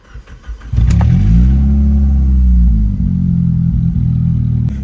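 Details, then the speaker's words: Toyota Matrix after new catalytic converters, exhaust manifold gasket, spark plugs and coils, run without the rest of the exhaust attached: catches and revs, then a loud deep steady open-exhaust drone from the cats with no ticking puff at the manifold; no manifold leak. "I can't hear an exhaust leak anymore but I also can't hear much of anything else except the exhaust coming out of those cats I don't hear anything coming out at the manifold"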